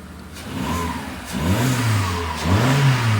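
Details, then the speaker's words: Low-mileage one-owner VW Golf Mk4 petrol after new spark plugs to repair a misfire: two clean blips rising smoothly from idle and settling, no stumble or popping; revving healthily, engine light still on. "that sounds absolutely class. Really happy with that."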